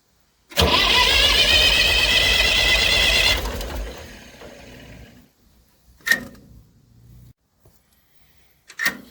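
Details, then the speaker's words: Massey Ferguson 35 diesel tractor, not started in weeks. Water leaks, fuel leak, and radiator needing replacement; owner suspects the injectors. Steady rapid cranking, then weak coughs without catching: diesel slow to start. "Take two. Well, let's see if she likes a little goat juice. She tried a little."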